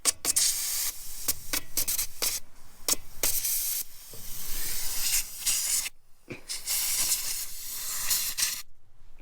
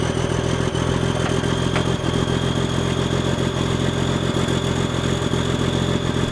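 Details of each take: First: Old Cummins L10 diesel semi truck, stored roughly 23–30 years, just started; loud rushing hiss in repeated bursts with steady escaping air from the bottom of an old air pressure valve, likely built-up junk keeping it from seating. Air brake system leak. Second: Semi truck sitting about 23 to 30 years, started cold before loading on a trailer: big diesel with a steady, even low chug and light injector clatter, no misses; healthy cold idle.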